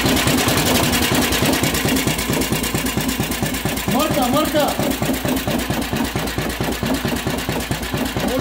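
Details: DM1 single-cylinder engine after head resurfacing, new head gasket and valve lapping: steady even beat at fast idle, no misses, knocks or valve clatter; runs smoothly and healthy.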